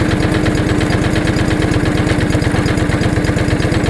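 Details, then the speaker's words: John Deere 445 lawn tractor after replacing the ethanol-eroded fuel hose on the pump on top of the tank: steady, even idle with a regular low thump about three pulses a second, no misses or knocks; runs healthy. "as soon as that hose got put in the tractor started up and ran perfect so I'm going to start it up for you guys so as you can tell it's a pretty well well running machine"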